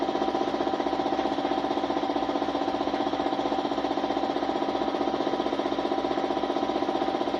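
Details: Suzuki Smash motorcycle, small single-cylinder thumping at a steady pulse about four a second with thin, hollow note; hard starting, misfiring (palyado), stalling, hiccuping, cause not stated.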